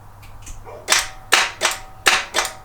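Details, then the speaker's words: 1986 Toyota 4Runner, attempting start: sharp single clicks, about six in three seconds, with no cranking; starter engages but engine never turns over, battery possibly not charged (suspected). Starter clicking, no crank. "it's making noise what's that noise yeah something's been going wrong"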